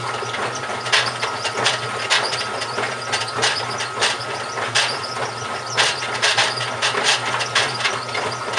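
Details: GE washer model WHDSR315DWW, bought 2006: rough scraping grind with irregular sharp clacks over the motor hum while running; owner suspects the transmission is going bad, unconfirmed.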